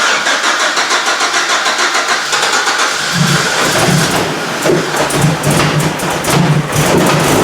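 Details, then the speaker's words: GM Vortec engine project, petrol, first start after fixing the missing fuel pump ground, no coolant in it: starter churns about three seconds, then the engine fires and settles into an even, steady run. "it's alive and you heard it that's how it was no room very well"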